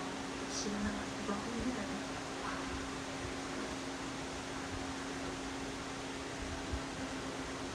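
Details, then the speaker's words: Drum fan running on medium: steady airflow rush with a low hum, or whine, under the breeze that comes and goes; cause unknown. "It's making a humming sound. It's running on medium, but it's making a humming sound. Like it comes and goes."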